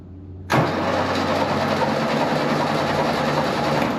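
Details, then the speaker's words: Type 1 VW Bug engine in a salvage fiberglass dune buggy, spark plugs out to blow debris from the cylinders after a bad positive wire connection was fixed: steady, even starter cranking with no grinding; normal cranking. "Starter's working. I saw a little bit of stuff come out the spark plug holes, so I'll crank it for a little bit, try to make sure everything's gone from in the cylinders."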